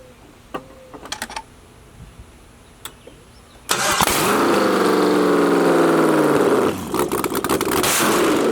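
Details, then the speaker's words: LS V8-swapped Jaguar XJ-S first start, no headers, fuel pump relay now plugged in: a few clicks, then engine catches at once into a loud raw even idle; started right up with no hesitation. "it started right up there was there was no hesitation it just freaking went"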